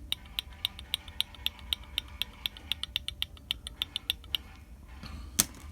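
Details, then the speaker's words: Used GMB water pump for Lada Vesta, about 40,000 km as claimed by the seller, no axial play and turns smoothly, shaken and turned by the pulley: sharp high clicks about four per second, internal knock inside the pump. "внутри что-то брякает"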